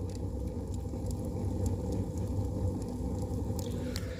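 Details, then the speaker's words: Two-storey brick heating stove just lit with pine kindling, door closed and ash-pit draft opened: deep steady roar with faint crackles as the draft pulls hard through the firebox; stove drawing normally. "І відкриваєте піддувайло. І зразу пошла тяга, якщо почуєте на телефоні, як гуде."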